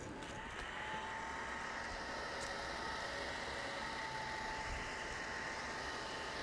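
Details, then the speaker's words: New 12 V computer fan for a homemade waste oil heater, bench-run on a 12 V supply, free-spinning and putting out a fair amount of air: steady even air rush with faint constant hum, no ticking or rubbing; normal fan running. "puts out a fair amount of air a little bit of a test with some kerosene in the heater"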